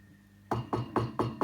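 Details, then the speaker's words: Vox AC30HW / Fender Vaporizer amp with used EL84 power tubes, each tube tapped in turn: each light tap, about four a second, rings through the speaker as a hollow boing; microphonic EL84, only one of six tubes is good. "you hear that you hear that so that sucks you know imagine you're playing guitar and this [ __ ] noise is just coming through all the time"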